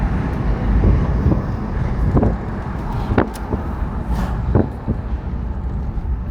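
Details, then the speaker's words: Land Rover Discovery 300Tdi diesel after a road drive, with a new timing belt, head gasket, skimmed head, glow plugs and ancillary belts, idling and heard through the lowered window. Low steady clatter at an even idle over outdoor noise, normal running. "And we'll drop the window so you can, as we're finishing off this video, have a listen to it idle along the outside."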